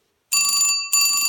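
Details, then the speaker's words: 1974 Western Electric Bell System rotary Trimline desk telephone, ringer on loud setting: two loud bright ringing bursts of about half a second each, clean and even; normal ringer at full volume. "it's quite shrill really for a bell ringer it's quite loud so it's on it's loud assertive"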